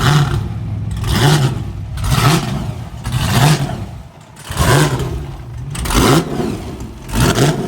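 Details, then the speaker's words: Burnout car "Shut Up" at Northern Nats, test run before competition: repeated sharp blips, about one a second, each rising cleanly and dropping back crisply with no misses or knocks; no oil leaks, healthy. "No oil leaks. And she sounded fucking on song."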